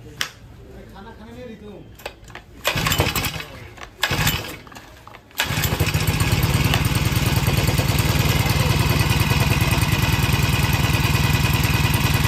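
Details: Green Farm four-stroke brush cutter brought in for heavy vibration when the throttle is pressed, blade checked and intact; primer pressed 3-4 times and recoil-started: a few pulls, then a steady, even buzz with no shake or knock. Running normally.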